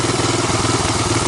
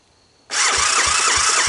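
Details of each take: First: 1985 Honda ATC250ES Big Red single-cylinder after carburetor swap and adjustments, warmed up, choke off: steady putter, mild lumpiness, light valve clatter; valves untouched; not a bad idle; normal idle. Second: 1985 Honda ATC250ES Big Red single-cylinder after carburetor swap and adjustments, air box on, choke off: cranks, catches, slightly lumpy, rough idle; owner suspects it needs break-in and more fuel through the carb; rough running after start.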